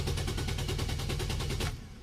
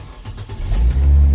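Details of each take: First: Nissan Almera during fuel pump actuation test at roadside: fast even cranking about five turns a second, never catches, then stops; cranks but no start from a failed fuel pump relay. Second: Nissan Almera with cranking no-start, roadside, after repairing the IPDM: brief crank, then engine catches and revs to a steady, deep even run; fault was the fuel pump supply to the IPDM.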